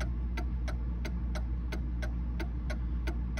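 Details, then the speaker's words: Mantel clock thrown way out of beat, ticks limping with alternating short and long gaps. "now i'm going to throw it way out of beat and you can really tell okay in fact it's so far out of me it won't run"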